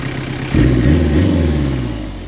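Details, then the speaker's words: Peugeot 205 Turbo Diesel with lightened 4.5 kg flywheel and performance clutch, pump deliberately set rich: blips with deep, heavy chuffing roar and slow return, "like a locomotive". Over-rich fuelling, badly adjusted diesel before readjustment. "Voilà, c'est une locomotive. Donc là, un diesel, ça c'est un diesel mal réglé."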